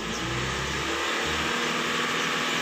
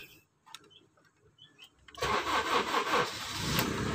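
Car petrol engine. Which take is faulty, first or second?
first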